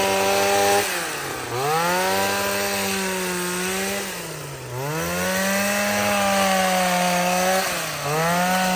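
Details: Shawa DH230 professional gas hedge clipper, a yard-sale unit that would not start, after a carburetor change: the small two-stroke buzzes cleanly, pitch climbing and dropping smoothly with each throttle blip, no misses or sputter; running properly.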